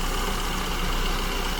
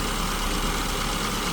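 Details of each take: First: SU-carbureted engine at idle: speed rises and falls in slow waves and never settles. The mixture is too lean at lambda 1.09–1.10 and needs richening to the first stable idle point. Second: SU-carbureted car at idle after leaning mixture from too rich to peak rpm on tachometer, vacuum gauge just starting to flicker: steady, even idle with no hunting, faint whine over smooth hum; baseline mixture for this elevation.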